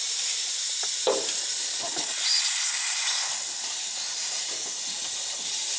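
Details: Old cast iron radiator replaced after freeze-up, system being filled; continuous thin hiss with faint spits as trapped air escapes through the bleed valve.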